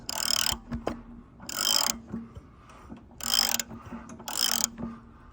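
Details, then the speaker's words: Subaru pressure washer engine with pump attached, long unused and previously wouldn't pull: turned by hand in running direction, slightly stiff, four airy whooshes about a second apart; turns freely with normal compression, ruling out stuck piston/rings or broken rod. "But it turned. Turned. You can hear the cylinder breathe."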